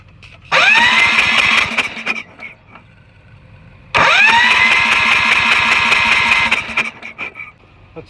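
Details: Tractor in cold snowy weather, started fine days earlier: short bursts of quick even cranking with no firing even on starting fluid; crank-no-start, owner suspects spark, tries replacing NGK plug.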